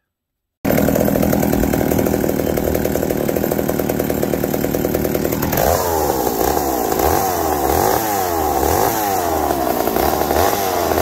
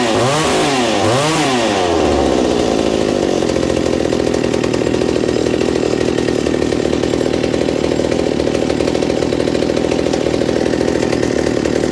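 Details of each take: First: McCulloch 790 MC101 chainsaw with high idle, during first cut: screams at high speed, then the note drops and wavers under load; bogging, owner suspects leaning out, cause unconfirmed. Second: McCulloch 790 MC101 chainsaw, rebuilt with an ignition chip, bar and chain just fitted: a couple of quick blips then a steady even two-stroke idle, slightly lower with chain on, held smoothly until shut off. Normal idle.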